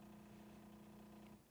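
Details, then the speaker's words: Jura Z8 superautomatic espresso machine brewing with pulse extraction (P.E.P.): steady low buzzing pump hum with faint pulsing, almost clicking texture, then a clean cutoff; normal pulsed pump operation. "the Jura classic PEP I believe it's called extraction so it's got that pulse you can kind of hear it clicking almost"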